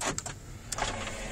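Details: 2001 Dodge Ram SLT 2WD extended cab with the 5.2 engine and 98,000 miles: two quick, crisp clunk bursts as the power door locks cycle, each firm and complete with no grinding or dragging; the lock actuators work normally.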